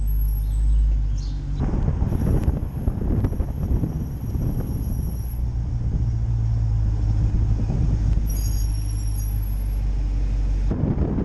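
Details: 2017 Dodge Challenger SRT, under 20,000 miles, rolling: thin high squeal rising and fading twice over road rumble; dealer calls the brake squeal normal for a performance car, owner disagrees.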